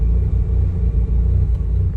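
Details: Mazda RX-8 rotary that stalled unless throttle pressed, during idle relearn after reset, about 10 minutes in: deep steady burble, even idle with no throttle, no hunting or stumbling; idle settled.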